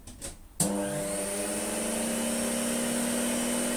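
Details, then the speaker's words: Electrolux Slimline 185 vacuum cleaner after reassembly and repair, speed control knob removed: a click, then the motor spins straight up to a steady, even high whine; the motor runs properly. "well it runs all right let's put the speed control knob back home"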